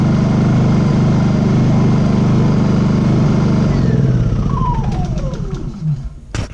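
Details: Honda EU2000i generator idling smoothly and evenly after its surging-at-idle problem was repaired, then shutting off and winding down in falling pitch.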